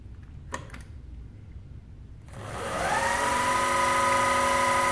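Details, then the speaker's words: Precision Matthews PM-25MV mill after a belt-drive spindle speed upgrade, running at 3000 rpm on factory bearings that get warm: rising whine settles into a steady even tone, with only a tiny, non-excessive vibration. "we are at 3000 rpm it's pretty good you good they're running like that there's a tiny bit of vibration but it's it's not excessive"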